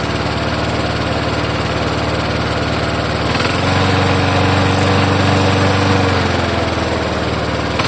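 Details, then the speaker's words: Vintage Toro mower, a near-new marketplace find, just started after hard pulling. Steady thump under the engine beat as it speeds up; owner wonders if the blade is loose, but it seemed tight, so he doubts it. "I think I I might know what that knock sound is. I'm going to give it a look. I wonder if the mower blade is loose. Cuz that can make it have a knock sound to it."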